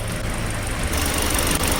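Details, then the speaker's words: Hyundai LF Sonata idle: uneven shaky idle with irregular stumbles, cylinder 4 misfire code and check-engine light, misfiring on morning start; plug/coil suspected, but ignition waveform on cylinder 4 looked normal, misfire count not rising. "LF 소나타이 고장 입고된게 엔진의 벌벌 거리면서 체크등이 들어와서 입고 했는데 처음에는 엔진 부조를 아침에 시동 걸어 보니까 부조를 해서 뭐 점화플러그 코일이겠거니 간단하게 생각해 가지고"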